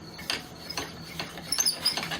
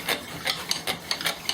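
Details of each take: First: Bamboo spindle in a cord-and-flywheel friction fire drill squeaks with each stroke, high chirping about three times a second, as the glazed spindle tip slips; glaze must be worn through to get friction. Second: Cord-and-flywheel fire drill with a new bamboo spindle, worked at speed with heavy pressure: dry rasping rubs, four or five a second, with no squeal. Earlier squeaking meant a glaze, now broken through, so the drill has good friction.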